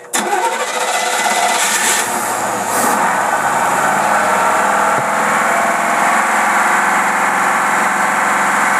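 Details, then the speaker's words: Rochester two-barrel carburetor tested on a running engine before rebuild, fuel pressure set to 3 psi, choke held open: engine catches and holds a fast idle that won't drop; vacuum leaks, including an open hose, keep it from idling down. "we well by the indication of that obviously somebody has trying to run it with a bunch of vacuum leaks that's why it won't idle down"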